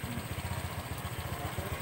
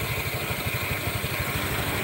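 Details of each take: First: Honda Vario CVT after repair: even, steady putter at low revs with no crunching or grinding from the drive side. Earlier it crunched when the wheel was held still; the crunching noise is now gone, belt drive smooth and healthy. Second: Honda Vario scooter, engine running with rear wheel held: rough crunching rumble from the CVT that disappears when the wheel turns; worn CVT pulley bearing, smooth again once the bearing was removed.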